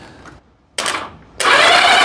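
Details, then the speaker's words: 1982 Honda Goldwing GL1100 barn find, sat about 20 years, weak battery, all spark plugs out: short bursts then steady fast whirring with no firing or strain, engine spins over freely; next step checking for spark, none found: engine cranks freely. "hey okay it cranks so let's put a spark plug in there to see if we actually have spark"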